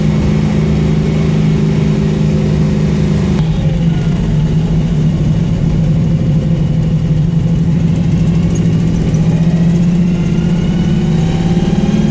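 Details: Loud, deep, steady idle rumble with a raw, unmuffled edge from an exhaust leak; the engine still performs well.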